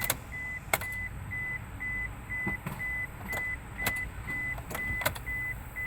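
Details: 1999 Isuzu Rodeo: warning chime repeats about twice a second with a few sharp clicks, but the starter never turns the engine over; won't start or crank.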